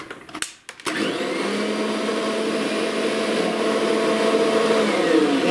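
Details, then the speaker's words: Kirby Sentria vacuum after a plink-chunk noise mid-vacuuming: motor spins to a high steady whine with rough rapid buzzing and whole-unit vibration felt in the handle, from a broken impeller, likely from construction debris picked up. Broken impeller vibration. "all of a sudden I heard a plink chunk noise and um the vacuum started vibrating and it was um not good"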